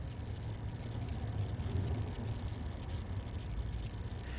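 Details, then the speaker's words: Vintage Zenith colour tube TV with new old stock CRT and prototype vertical output transformer: irregular sharp crackles and snaps over a low hum; high-voltage arcing in the high-voltage cage, traced to a tube socket. "So there's a lot of arcing in this can, as you can hear."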